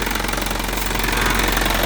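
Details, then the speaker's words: 2014 Isuzu Elf NKR71 long-chassis diesel truck idling with oil filler open, no smoke and oil not spurting: steady even diesel clatter, strong low rumble, no missing beats; engine runs healthy with good oil flow. "Aman ya teman-teman mesinnya."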